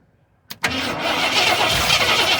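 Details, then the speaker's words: 1973 Ford F-250 V8 unstarted for 18 years, plugs refitted and fuel poured in to prime: a couple of cranking clicks, then it catches and runs with a full, even roar, starting on the priming fuel. "oh that is what i'm talking about i got a mouth of my fuller spider webs and cobwebs"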